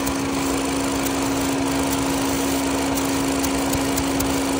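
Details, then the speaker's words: 2012-2018 Ford Focus (P0456, P1450) idling, vapor canister purge valve under hood commanded at 0% and disconnected: steady airy hiss over even idle as vacuum passes though valve should be closed; purge valve stuck open, replaced. "At 0 it should be closed. It shouldn't allow any air or vacuum. It's allowing vacuum through instead."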